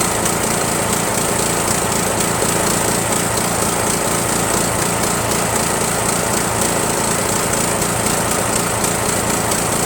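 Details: Rebuilt Briggs 17.5 HP spare engine repowering a Yard Machines lawn tractor, synchro balancer counterweight links replaced: loud, ragged, uneven beat under steady throttle with backfiring; rough running, carburetor fuel mixture suspected.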